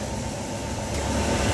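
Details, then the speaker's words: Old Yamaha NMAX scooter engine running smooth, even and no longer rough after tensioner replacement and re-tightening the throttle body filter rubber; roughness had appeared only once hot, so a check at 80°C is still pending. "oke teman-teman untuk saat ini kondisi sudah halus ya suara mesin tidak kasar seperti tadi"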